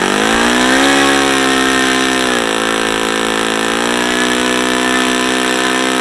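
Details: OS FS-40 Surpass four-stroke glow engine first run, high-speed needle 2 turns open, other settings factory: high buzzy note holds steady, dips briefly and recovers cleanly without sputter; normal running.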